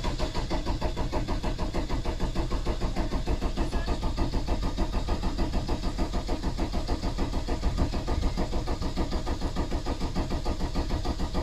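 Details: VW T3 van with swapped-in TDI diesel, 1162 km after the engine and gearbox swap, during a service: even, steady cranking at about three compression beats per second without starting, to build oil pressure until the light goes out.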